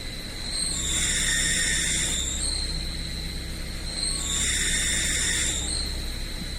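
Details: UAZ Patriot Pickup idling with the clutch pedal pressed: a steady high-pitched whistle that swells and dips twice from a worn clutch release bearing. It fails about yearly, and the owner blames hauling loads.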